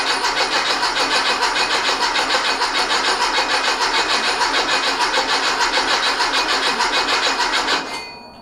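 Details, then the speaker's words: Rebuilt 1835cc air-cooled engine for a bus, first start after rebuild, good oil pressure and fuel confirmed: even cranking chug about three beats a second for eight seconds without catching; no spark, electronic ignition module in question. "Wonder if we have sparkage. No spark. Did you say no spark? No spark. All right. So that would explain why."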